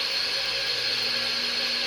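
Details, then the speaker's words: 1996 Craftsman radial arm saw, cleaned-up used find, starting for first cut through the fence: steady even high whir, constant tone with no rubbing, grinding or knocking; motor runs smoothly. "all right so we'll fire it up and get to listen to it i think it sounds great"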